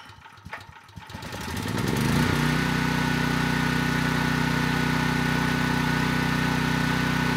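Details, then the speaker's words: Generator engine (storm responder, advertised as zero hours, producing no electrical power) starts quickly and runs a steady, even small-engine drone with no knocks or surging; engine healthy, fault lies in the generator side. "no surprises here I mean that engine started right up and it sounds good"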